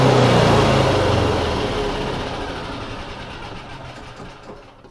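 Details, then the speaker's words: Yamaha G29 golf cart after replacing the faulty stop switch/relay part, belt removed: engine fires at once, revs strongly on the gas and winds down smoothly without misfire or stumble; starts and runs as it should. "this thing is finally working like it should push on the gas and it goes"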